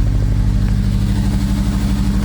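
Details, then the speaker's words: Acura RSX with newly installed Sirimoto flex fuel kit, new injectors and map, just after start: steady, deep, slightly uneven, flat drone at raised revs; air-fuel reads super lean, not getting enough fuel; owner suspects bad injectors. "still running really weird running super super lean i'm gonna shut this off for some reason it's not getting enough fuel"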